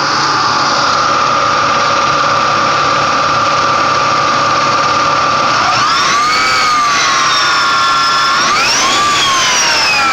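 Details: Ford Mustang V6 at idle and revs: a steady high whine over the idle that sweeps up and down with each rev like a turbo spooling. Owner thinks the alternator is fine; source not pinned down.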